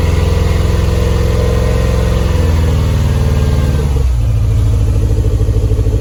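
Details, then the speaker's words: Toyota MR2, just revived with a new coil, fuel pump and leads and freshly rewired, warming up at idle. Uneven, lumpy beat with dips as it stumbles. It is misfiring on one cylinder, traced to fouled spark plugs that need replacing. "so we worked out what the problem was it needs plugs"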